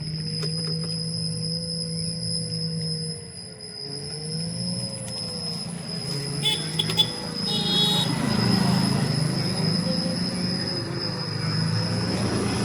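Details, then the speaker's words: Ola S1X 3kW key variant electric scooter at about 3 to 5 km/h: wavering mid-pitched groan rising and falling over the motor hum, intermittent, like an animal moaning; hub motor vibration groan at low speed, cause not known. "थोड़ा सा vibration की आवाज थी और vibration बार-बार सुनाया था। जैसे तीन से पांच पे जाती है।"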